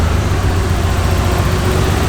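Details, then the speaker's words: R32 Nissan Skyline with a replacement used RB20 that sat for a while, MAF disconnected: low, lumpy idle with dropped pulses; still misfiring on at least one cylinder, injectors being checked. "Sounds like it's still misfiring though."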